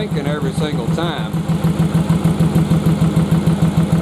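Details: Yamaha Virago bobber at idle running on one cylinder: slow, loping idle with heavy thumps about three per second. The spark tester barely blinks on one plug until throttled up; the misfire is from a fouled plug rather than the carbs.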